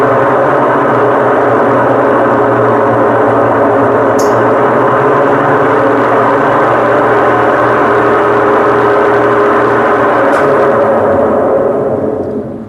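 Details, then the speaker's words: BWK12 washing machine in spin: loud steady helicopter-like roar fading as the drum slows; the seal failed, water dripped onto the drum bearing, washing out its grease and destroying it; mechanism likely to be replaced. "Aí quando o retentor estoura, começa a pingar a água no rolamento. E aí acontece isso. O rolamento estoura, né? É, é. fica sem graxa nenhuma [roncando] e fica com essa barulheira danada aqui,"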